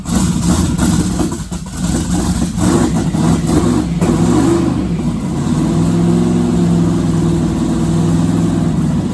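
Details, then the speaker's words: Twin-turbo 1969 Camaro pro mod V8, not started in a couple of months since the driveshaft incident: revs and idles unevenly, surging and stumbling; owner suspects fuel starvation, Holley VR2 pump in question. "you know it's not running perfect but it hasn't been started in a couple of months so it didn't surprise me"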